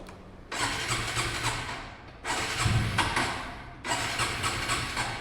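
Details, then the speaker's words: A TVS Raider motorcycle left parked for two days, with its petrol checked, cranks in three one-to-two-second bursts. The engine turns over but never catches, so it fails to start; it had earlier started and then stalled. "Start ಆಗ್ತಾ ಇಲ್ಲ of ಆಯ್ತು kicker ಅಲ್ಲಿ start ಮಾಡೋಣ"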